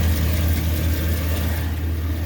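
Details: 2009 Chevy 2500HD 6.0L V8 with P0305 cylinder 5 misfire: rough uneven idle with low chuff and faint tick; stuck exhaust lifter on cylinder 5 and bad exhaust flange gasket, cam bearing stuck on journal; engine replaced.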